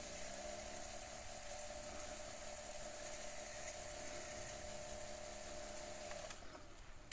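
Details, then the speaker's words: Sony SL-F1 (SL-2000) Betamax with not-lacing fault, after readjusting a maladjusted switch: steady motor whir with faint wavering hum through the unlace-to-lace cycle, then cuts off; noisy lacing mechanism, cause unclear. "Yeah, I'm just wondering what that noise is as it sort of reaches the end of the unlace um and starts lacing."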